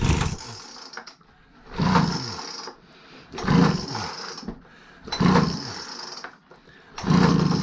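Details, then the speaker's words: Free Craftsman 25cc gas blower with damaged carb adjustment screws, leaking fuel-cap vent and spliced fuel line: four pull-starts after starter fluid, each coughing into a brief rough burst and dying; owner unsure of carb adjustment, cause unconfirmed. "Oh, okay, so, and it dies down."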